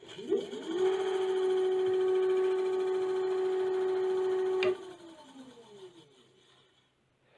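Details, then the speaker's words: AKEZ 500 W e-scooter on stand, wheel free, one loom wire unplugged, full-throttle pull: hard steady buzzing hum at one pitch, much louder than before, then falling as the wheel coasts down; loud motor buzz. "i unplugged one wire just to see if it would still work and it sounds like it's buzzing a hell of a lot harder than what it was before"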